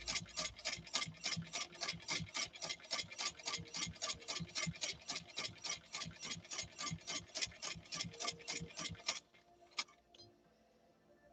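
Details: India-made replica sewing machine, flaw fixed, sewing thick stiffener with upper tension backed off: quick, even stitching clatter at about three and a half per second, then stops; runs smoothly.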